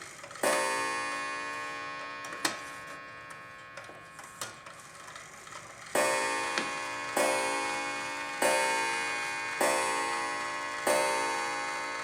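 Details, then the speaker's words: Antique clock with Sessions movement, reassembled with strike train adjusted, striking the hour while hands are advanced: clear bell strikes with long ringing decay, evenly spaced about a second apart; healthy strike. "It does this clock does the half hour and the hour. So you're going to keep doing that until you get it up to 10 o'clock on your beats."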